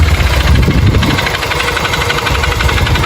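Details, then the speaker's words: Motorcycle brought in for engine noise, also smoking and throwing oil: rough, loose, uneven knocking about four per second at single-cylinder idle; mechanic suspected the rod and hopes it is only the cylinder kit; piston slap. "Porque, ó, quando a moto tá batendo, saia. Mas tem que tá batendo saia muito mesmo."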